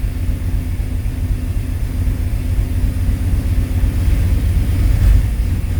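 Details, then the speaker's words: 1995 Chevy 1500 V8, rerun after a zip-tie fix, not yet warm, low oil pressure, smells of gas, holes throughout the exhaust. Deep, uneven idle rumble with a loose puffing beat and a slight flare. Rough idle with exhaust leaks. "Yeah, definitely not the smoothest engine. I mean, it does sound pretty decent."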